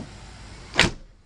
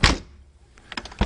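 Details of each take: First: 1992 Corvette C4 driver door after new weatherstrip fitted: one short, solid thump as the door shuts, no rattle or buzz after; healthy, well-sealed close. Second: 1992 C4 Corvette driver door before weatherstrip replacement: door slammed firmly gives loose, rattly slam with short trailing clatter instead of solid thud; worn door weatherstrip.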